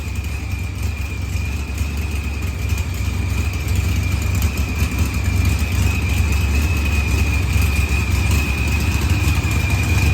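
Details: Green Challenger with a supercharged LS swap, idling after head gasket and fuel pressure sensor repairs. Idle was leaned with very low fuel use (6–8 lb/h); timing reads 27° versus 28° target. Steady rumble with faint whine, running good.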